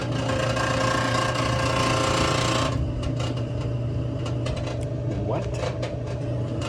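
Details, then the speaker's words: Whirlpool WTW5100HW0 washer: a belt squeal heard as a steady low drone with a rough rubbing buzz that eases partway through; fixed with a belt and splutch kit. "but the washer is squealing. So, we know what a squeal is. That's a belt."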